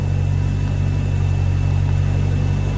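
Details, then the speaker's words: Volvo Penta 6.0 marine inboard, low hours, warming up after head gasket install: steady, even low rumble with a smooth beat, no misses or knocks; no alarms, good rpm, clean idle. "back see what else we got warming up good rpm and low hours"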